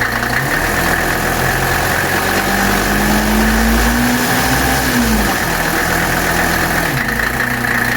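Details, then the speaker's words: 1982 Mercedes 300D diesel, 61,000 miles, after filter change and new hand primer, primed instead of bled: steady, even idle clatter with no stumbling or hunting; runs cleanly with no air in the fuel. "there you go guys that's how you do it so you don't have to bleed air out of the system"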